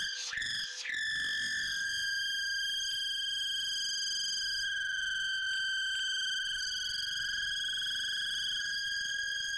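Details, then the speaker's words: Loud steady whistle near 1.6 kHz with higher overtones from a 6 m uncut corrugated hose connecting a cyclone chip separator to a vacuum cleaner; pitch changed when the hose was straightened, suspected to come from the hose. "вот такой свист он раздаёт ужасный всё работает но сильно свистит сначала испугался потом стало смешно Может это из-за шланга"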